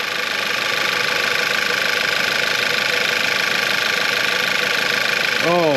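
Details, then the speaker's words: VW Eos first start after engine and transmission reinstalled, apart almost 3 months: even idle with a steady hum and light constant pulse; no ticking, knocking or abnormal noises, nothing leaking underneath. Sounds good. "oh my God oh it sounds good nothing all right nothing leaking out the bottom no abnormal noises"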